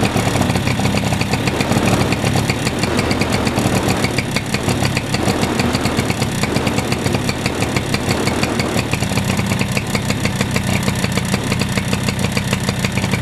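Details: Suzuki Address 110 scooter idling with steady rapid knock through blips, unchanged after variator removed, so inside engine; appears as it warms, owner suspects piston or wrist pin. Crank Nice Riche 11373 km, S.M.R. cylinder kit 6392 km, NSK bearings.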